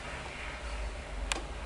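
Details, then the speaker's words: Sony SL-330 Betamax VCR playing a cassette: a single sharp mechanical click over a low steady hum, recurring each time the picture shows a problem. "Hear that clicking? See? And every time it has a problem,"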